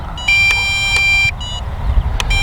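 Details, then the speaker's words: MJX Bugs 8 brushless 250 FPV race drone flown at full throttle until the battery was completely drained and it shut off: steady high-pitched beep in long and short pulses after the motors cut out, the low-battery alarm. "but I want to show you what happens if you don't heed the beeping warning keep flying how long you can do it for"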